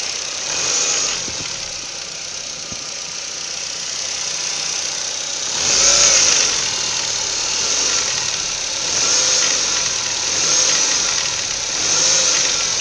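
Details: Ford Focus 1.6 8-valve engine at idle: a light, fast tapping rides over a steady idle and swells every second or two, suggesting an internal engine knock of unclear origin.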